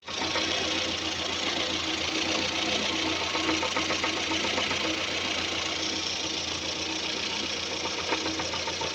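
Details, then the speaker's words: Running engine: dull, indistinct tapping from the top end about three or four times a second; camshaft moving endwise because its worn thrust cover allows end play. "о слышите звук да то есть вот он непонятный глухой стук"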